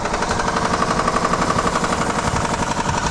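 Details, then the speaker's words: Lexus SUV that was run out of oil, oil light on: loud, hard hammering at about four blows a second over the running engine. The owner suspects the oil pump failed from lack of oil, wrecking the bottom end. "The sound that you're hearing is $20,000 just going out your pocket. And they just put brand new tires in this thing too. That's sounding terrible."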